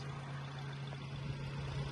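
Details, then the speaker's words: 2011 Nissan Versa, which was overheating and boiling off coolant because its single AC/radiator fan would not turn on, after the fan was replaced: at idle with coolant near 96, a steady low hum and even airflow rush. The fan is running normally. "Okay, so it's going up to 96. Should be turning on any minute. Okay, so you can hear it turning on now."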